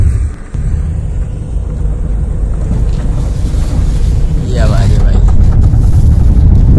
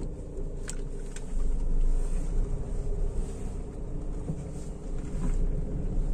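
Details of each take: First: Honda Amaze, mic taped near front tyre, right-hand full-lock U-turn: low rumble with irregular kat-kat knocking about three times a second; CV joint clicking on full-lock turn. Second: Honda Amaze that used to make a "kat kat kat" noise on right U-turns, after a gear oil change: a slow full-lock U-turn in first gear, mic taped near the tyre, gives only a low engine and tyre rumble with no clicking. The noise is gone.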